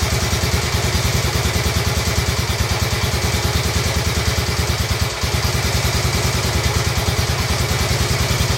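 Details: Royal Enfield Bullet 350 Classic single, first start after partial seizure repair, cylinder hone, new rings, decoke, valve clearances and carb cleaned: even steady thump about three beats a second, no knocks or misses; idles smoothly, dislikes choke, needs fine tuning.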